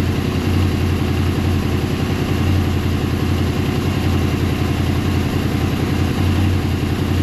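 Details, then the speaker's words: Warmed-up Honda VFR800 VTEC V4 at a smooth, steady low idle with no ticking or rattle. This is after replacing the timing chains, tensioners, guides and valves and synchronizing the throttle bodies, which had been well out of sync. "zsynchronizowana prasuje jak słyszycie bardzo bardzo fajnie rozjechana była dość mocno dlatego jest duża dużo Popraw"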